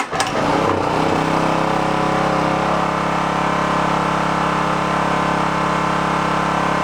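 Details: Onan K450 small portable generator, bought at a yard sale after sitting a long time, started on choke while air-fuel mix is adjusted: even, unchanging hum at constant speed after a brief start-up, no surging or hunting; runs smoothly.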